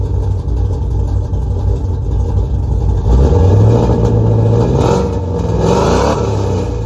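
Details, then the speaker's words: 5.2L Magnum V8 with new headers and exhaust, after replacing burnt ignition wires; idles, blips up and settles back cleanly with no pops or bangs, backfiring gone. "There we go. She's not backfiring anymore. Um, so I'm happy with that."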